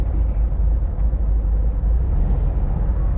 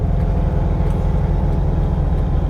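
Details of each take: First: 1971 VW Bus, carb previously popping, now lugging at low revs while driving: steady, even low rumble with only road noise on top, no popping or stumbling; engine running smoothly and quiet. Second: 1971 VW Bus with twin carburettors: fast, steady drone well above normal tickover, with backfire and reduced power noted; suspected hanging carb or carbs out of sync. High idle.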